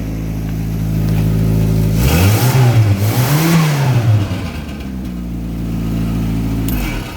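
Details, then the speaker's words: Austin 1100 (ADO16) Magenta kit car with 1300 GT engine on a single HS4 carb, twin side exhaust, started on choke: revs twice and settles to idle, exhaust thin and flat; weak exhaust note, LCB 2-inch system planned. "as you can tell the exhaust is pathetic it sounds terrible and so we're going to upgrade it with a lcb with a two inch system right the way to the back"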